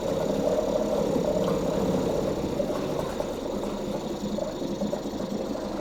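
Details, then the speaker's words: 2004 Mercury 2.5 hp two-stroke outboard, not winterized and sitting 6 months, started about first pull on choke; steady, busy two-stroke buzz without misses, easing slightly after a few seconds as choke is reduced; normal running on choke. "Ah, whoa, whoa, hey. She's a runner. Was that like first pull, technically? Let's take away some choke."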